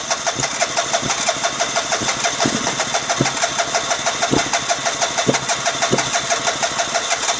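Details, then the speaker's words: 2009 Vespa LX150 cranks but won't start: steady starter cranking about three beats a second with the odd sharp cough when given a little gas, never catches; owner suspects a dirty spark plug again, unconfirmed. "Seems like if I give it a little gas, it'll cough sometimes. Hand in at the same time."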